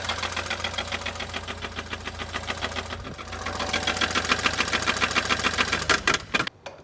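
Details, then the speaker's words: BMW Z4 with N20 engine: fast, sharp metallic ticking, three or four a second, rattles over a light idle, with the chain heard bouncing around; internal knock, owner plans rod bearing replacement, cause unconfirmed. "So the clip you just saw is kind of the summary of what's going on with the engine. You can hear the metallic rattle, you can hear the chain bouncing around."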